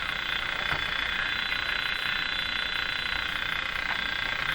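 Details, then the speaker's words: General Electric CL541A ship radio after tube testing: steady hiss with fast regular ticking, about 2.5 per second. This is an external noise signal, not the set, strong enough to desensitize the receiver across most of the band. "now the ticking sound that's not from the radio that's an actual noise signal coming in"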